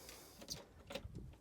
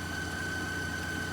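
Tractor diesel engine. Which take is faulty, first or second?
first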